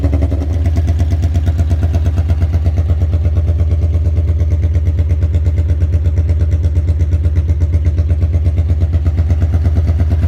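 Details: 1982 Honda Magna V45 VF750C V4, cold start just after an oil change to Shell Rotella T4 15W40 with K&N filter, choke held with a zip tie, to free up sticking clutch discs: catches right away into a steady, even burble with no misses or knocks.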